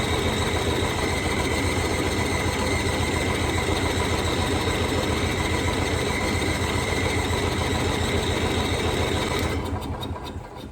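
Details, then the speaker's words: Onan generator engine with newly added inline fuel filter chugs steadily at about three and a half beats a second, then fades out and dies; owner suspects no fuel passing the filter or flooding, cause unconfirmed. "huh I'm not sure what what the dealio is it is somehow not full any fuel through this filter maybe it can't run with a filter on it"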